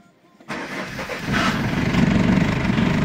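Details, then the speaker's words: Audi 80 B3 1.9 TD diesel cold start at about 0 to -1°C after 2 days in a garage, glow plugs held a few seconds: brief crank, catches at once, settles into a steady clattery idle. A clean, healthy cold start. "To je taj zvuk tog 1.9 TDI-a."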